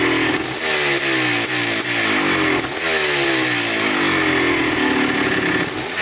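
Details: 1987 Yamaha YZ 490 two-stroke after carburettor rework for bogging, warmed up: crisp blips that rise and fall cleanly and return to a steady idle. The air screw is at 2¼ turns out, in spec, and the pilot circuit sounds right.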